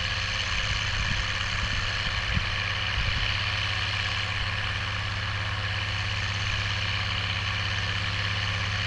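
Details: Oliver 1550 tractor, about 54 hp, pulling a JD BW disk 6–8 inches deep after fuel-system contamination cleared: deep, smooth diesel note holding steady under the pull, a few faint thumps early but no misfire; healthy under load.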